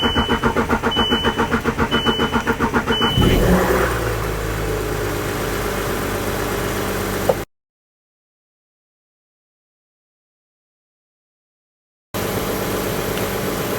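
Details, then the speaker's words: 2011 VW Touareg 3.0 TDI diesel after a fuel filter replacement and fuel pump priming; starter churns at about four pulses a second for over three seconds before it catches and settles, extra cranking from air in the fuel system. "so I still took a little bit of extra cranking now that it's running"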